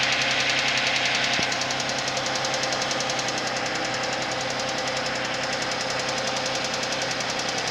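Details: Suzuki Vitara engine at cold idle with a sharp, even, bright metallic ticking knock about three and a half per second; knocking engine on cold start.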